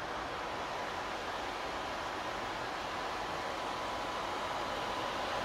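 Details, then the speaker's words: PS5 with fan speed controller turned to maximum: steady, very loud rushing air with no pulsing or rattle; fan at full speed, healthy. "we go guys it's like a jet engine all right that's that ramped up to the Max and there is a massive massive significant amount of air coming off that"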